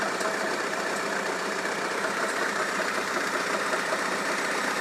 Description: Engine knocking sound in my 2004 Kia Optima with 2.4 L engine. The engine revs at 1000 rpm when it idles.